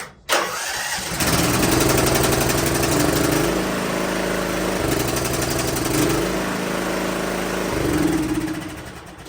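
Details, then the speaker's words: Same riding mower with what appears to be an MTD engine, after the fix (the owner believes a part had not been snugged properly). Started on choke, before the air filter was refitted, it cranks briefly, catches straight away and runs steadily; normal start. "That's perfect right there. That's what it's supposed to do. So that is the fix."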